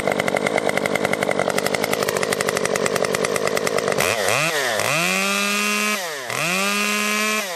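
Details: Stihl MS 194T top-handle chainsaw after muffler mod (inner baffle removed) and tuning, cutting red oak; bogs into a steady cutting drone, then revs cleanly high and drops back without stalling, running normally under load.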